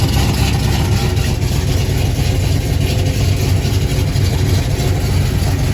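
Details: Deep, even V8 burble through a newly installed Pypes Violator exhaust on a 1977 Chevy Camaro, idling warm after a new torque converter install, steady with no miss or knock; healthy idle.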